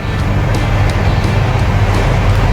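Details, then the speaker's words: Sharp 18-inch electric fan on speed 3, after replacing the capacitor to fix slow spinning and slow start-up: strong, steady motor hum with a faint regular tick, running at normal full strength. "แบบนี้ก็ปกติแล้วนะครับ"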